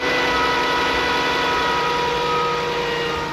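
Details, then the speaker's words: During a charging test at idle, with the battery fine and alternator connections checked good, a steady high-pitched whine holds over the engine. Voltage reads low at 12 V and the alternator is believed to be whining and failing. "can you hear that you can hear the alternator whining I'm sure that's the alternator"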